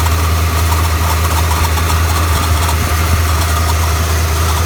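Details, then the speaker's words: 1992 Ford F-150 after a belt change, a used junkyard tensioner fitted and the smog air pump deleted: deep, steady idle with no belt squeal, chirp or tensioner rattle. Charging works. Normal. "let's start it up and see if it works all right let's see what happens everything works it works good"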